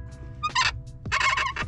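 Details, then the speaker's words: 2014 Subaru WRX hatchback, clutch pedal pressed by hand: two short, wavering high squeals that seem to travel through the clutch, spring and bar linkage to the master cylinder. Owner suspects the pedal spring; later fixed with lithium grease. "kind of sounds like it is i'm just pressing it by hand and trying to see where the hell kind of sounds like it's traveling through the whole clutch mechanism"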